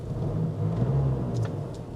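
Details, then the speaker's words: Range Rover Evoque SE diesel with 54,000 miles, idling with a steady, even low rumble, no knocks and no warning lights; a slight heat shield rattle was noticed just before. "sounds all right though we've got no warning lights on which is good"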